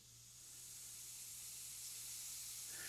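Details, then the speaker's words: 1950s Vixen spark plug cleaner and tester with air connected and the chamber pressurised for a spark test: steady high, airy hiss rising slightly; air leaking at the needle valve. "This is a needle valve here, and that's leaking. I'd have to put some pipe sealant or something on there to stop that leaking."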